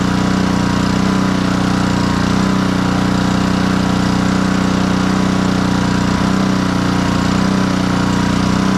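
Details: Black Max pressure washer with Honda GCV160 engine, repaired after a crank-no-start complaint and throttle adjusted: steady, even drone at constant speed with no misses, surging or knocks; normal running.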